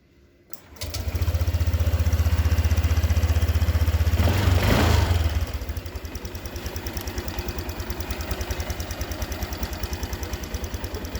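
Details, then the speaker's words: Honda Vario 150 injection scooter after fuel pump filter cleaned and reinstalled, fixing stalling on throttle at cold morning start: catches straight away, revs cleanly, settles into a steady even idle with no hesitation; normal idle and revving. "Oke ya teman-teman, ini sudah selesai, mesin sudah nyala."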